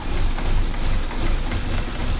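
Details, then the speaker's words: 1979 Porsche 924 just started cold after the fuel tank was deep-cleaned and reinstalled: it starts right up, but the beat stumbles and is uneven with wavering loudness, a rough idle on cold start. "Yeah, there it starts right up. Runs rough when it first starts."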